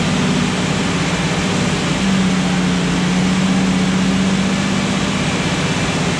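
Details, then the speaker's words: Restored Jurassic Jeep #73 engine on its first run after reassembly, distributor turned 180° to fix starting and stuck rpm gauge fixed, heat coming up; smooth even fast idle with steady low hum, no knocks or misses: normal. "first run yeah the heat's coming up good yeah"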